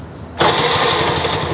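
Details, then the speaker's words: TVS Scooty Pep+ after a no-spark-at-plug fix (rewired relay negative and CDI plug wire): it fires at once and settles into an even, quick putter with no stumble or knock. It starts well, and the key switches it off and on. "பண்ணால் பக்காவாக start ஆகுது வண்டி. சாவி of பண்ண of ஆகுது check பண்ணிக்கலாம்."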